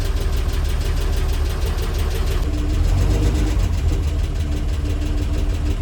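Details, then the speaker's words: International R-170 4x4 idling down to about 300 rpm: slow deep idle with a light regular tick about three a second from one noisy valve. "That's how they're supposed to sound, other than the noisy valve."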